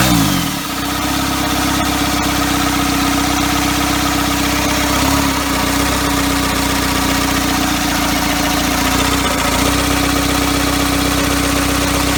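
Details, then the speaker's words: First start of a first-ever diesel engine build on custom motor mounts, at night, needing extra fuel: just fired, slow, lumpy, steady clatter with a low drone; idle speed way too low. "oh woohoo way too low way too low there we are"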